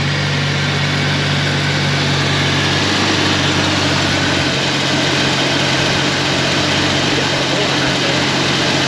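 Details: 1991 Jeep Comanche after broken distributor rotor fix and tune-up with regapped plugs; steady, even idle with a smooth low hum and no misses, stumbles or knocks, running cleanly.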